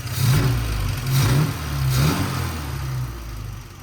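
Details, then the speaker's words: Triumph TR4A customer car that ran rough and lost power in 3rd and 4th, after the choke cam screw was adjusted and idle screws reset: smooth, even idle at about 900 RPM after a couple of gentle swells; running healthy. "so then I was able to return the idling screws and now she's idling at about 900 RPM which is great and sounds"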